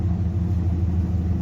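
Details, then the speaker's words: 1982 Ford Bronco (bullnose) V8 idling after reseating a torque converter that had come back 3/4 inch: deep even rumble, the constant chirping/ticking gone; exhaust sounds much better, healthy. "The exhaust sounds so much better now that it's not just constantly chirping."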